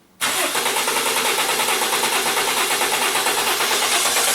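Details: Toyota Corona Premio, 7A-FE lean-burn engine that sneezes and stumbles. Cranking on the starter during a motor-tester compression check, with a pulsing, slightly lopsided rhythm pointing to one cylinder low on compression.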